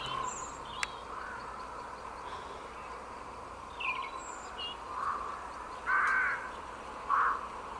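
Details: HP computer, camera held at the speaker: scattered chirps and crow-like calls over a faint hiss, stopping when muted; source unknown, owner suspects a virus despite virus protection being installed.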